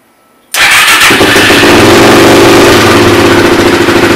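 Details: Suzuki LT-R 450 quad after CDI replacement, battery charged, air filter off: catches within half a second into steady even single-cylinder idle; carb seems fine, repair successful.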